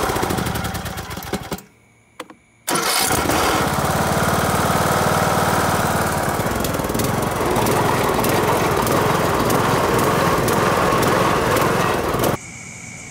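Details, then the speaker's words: Old Craftsman riding mower after carburetor cleaning and engine reassembly: short crank, brief pause, catches and settles into steady, even run before shutoff; starts and runs well. "i put the engine cabin back on and this thing runs now let me show you"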